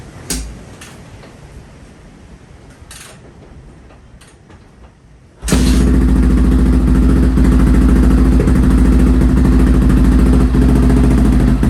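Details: Restored Honda XR650R single-cylinder dirt bike, first run after years unused, started in a cold workshop after heating the inlet manifold (kill switch not working): even thumping idle, quiet engine, nice exhaust, healthy; tiny oil and water leaks noted.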